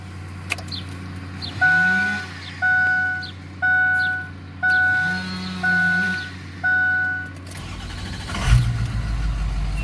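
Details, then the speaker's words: The seat belt plug on the truck "Great White" had been unplugged the whole time it was owned; with it reconnected and the engine running, six evenly spaced two-tone chimes about one per second show the reminder works normally. "there's the seat belt plug and it was unplugged the whole dang time we own this truck and i'll show you that it works real quick"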